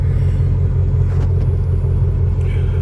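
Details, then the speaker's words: 2004–2008 Ford F150 after replacing the corroded fuel pump driver module above the spare tire, fixing a P1233 no-start/stall: deep, steady, even idle rumble with no stumbles; fuel pressure not dropping; normal idle. "motor está em marcha lenta. A pressão de combustível não está caindo."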